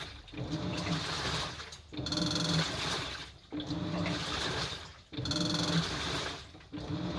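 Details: Household washing machine: water sloshes in slow surges about every second and a half with a light clattering rattle each drum turn; a 10-yen coin later came out through the drain, suspected cause.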